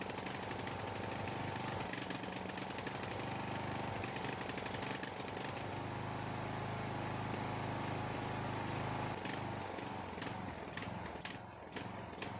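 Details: Ariens 42" geared riding mower, 17.5 hp Briggs & Stratton (31C707), Nikki carburetor, long neglected; new fuel filter, fresh gas, fuel flow fine, throttle moved: loping irregular chugging never smoothing, smooth only at some throttle positions; carburetor suspected, unconfirmed.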